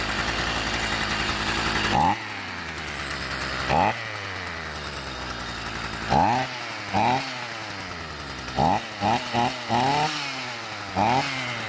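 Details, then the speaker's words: Stihl small engine (grass cutter) that started but would not rev. It was fixed by clearing carbon clogging the cylinder exhaust port. Quick throttle blips now climb cleanly and drop back to a steady, quiet idle with no stumbling: normal revving. "นิ่งดีครับเงียบดีครับ"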